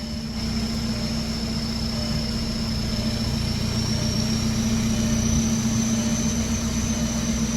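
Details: VW MK4 Jetta TDI with a 09A automatic, on jack stands after the transmission was refilled with fluid to fix a no-reverse fault: a steady, even engine hum with a faint constant whine and no clunks. Reverse now works and the transmission runs smoothly in gear.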